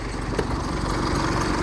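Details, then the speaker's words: Used Isuzu common-rail diesel SUV, started with one key turn; low steady diesel chatter at idle, quiet, no misses or knocks, no warning lights, slight normal crankcase vapor at dipstick, smooth normal idle. "บิดสตาร์ททีเดียวบึ้มเลยเห็นป่ะเนี่ยติดเครื่องนิ่งไฟชงไฟโชว์ต่างๆไม่มีเครื่องเงียบนี่ครับผม"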